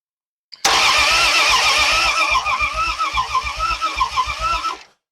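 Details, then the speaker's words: Old project car being revived after 40 years, cranking on the starter with cleaned, anti-seized plugs and no coil connected: steady cranking at about 3.5 beats per second. Compression sounds even, including the previously suspect number three cylinder. "that's not bad I'm surprised that it's not got more of a rubber with that number three cylinder the way it was"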